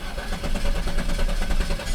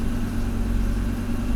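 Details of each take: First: Pre-1990 Audi 90 after engine repair, restarted: cranks, catches and settles to a steady smooth low idle with no hunting; the intermittent idle control motor is working. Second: Pre-1990 Audi 90 after engine repair, A/C on: low steady idle drone that holds flat instead of picking up; the intermittent idle control motor isn't regulating this time, later measured at only 0.3 volts.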